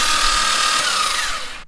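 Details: Rebuilt forged twin-turbo Mitsubishi 3000GT VR4 6G72 oil priming, plugs out: high steady starter whine with no compression beats, winding down after two seconds; engine spins freely as oil emerges.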